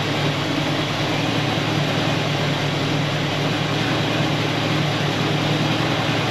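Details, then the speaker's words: 1974 Buick Apollo with Buick 350 V8, performer intake, just after a cold start following long storage: steady idle with a faint uneven stumble now and then; slight engine misfire. "Well, that was easy. Design went all by herself. It's missing a little bit, but for as long as it's been sitting, pretty much started almost right up."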